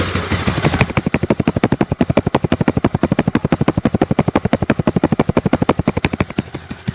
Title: Twiste fazendo barulho no motor